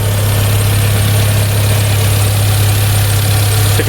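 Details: Crash-damaged salvage Mini Cooper convertible with a totally flat battery, still not starting even after a jump from a van: steady low droning hum with irregular fast ticking, engine never catches, cause unclear; no-start noise when cranking.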